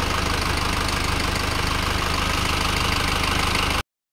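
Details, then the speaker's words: Isuzu Panther Turbo 4JA1 diesel after an overhaul (new liners, pistons, rings, bearings): even, steady idle with regular firing and ordinary injector clatter; no blow-by, sounds normal. "Normal ya, tidak ada mogos dan besi. Lalu di sini. Oke, jadi ini sudah normal."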